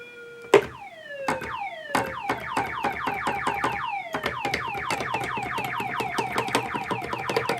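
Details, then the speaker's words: Rare Moog Minitmoog synthesizer, low volume, presets changing: repeated downward-sweeping pitched chirps from the envelope with no oscillator voice; filter self-oscillating too hard, suspected filter problem, unit to be opened. "So I think we got a problem with the filter. I think the filter is just too hard in oscillation."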